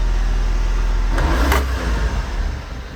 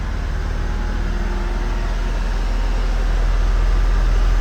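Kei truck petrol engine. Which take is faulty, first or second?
first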